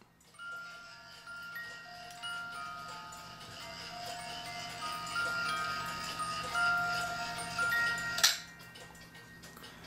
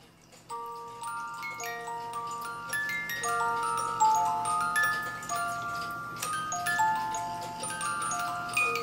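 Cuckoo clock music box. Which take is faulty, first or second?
first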